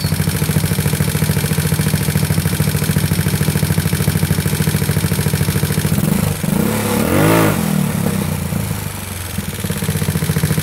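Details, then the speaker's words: GY6 150cc scooter with a 61mm big bore kit, A9 cam, stainless valves, free-flow K&N/DSTAR exhaust and racing CDI, on a CVK carb with a 105 main jet. It revs repeatedly at high RPM with sharp popping backfires. "Hear that backfiring? Now this is with a 105 in here."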